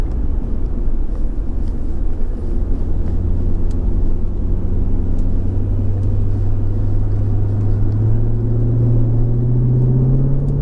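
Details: 2004 Jaguar XKR with an upgraded exhaust and 4 of 5 silencers removed, cruising: a deep droning boom between 1400 and 1600 rpm that rises in pitch with revs; owner suspects the bumper reverberating and plans to change its brackets.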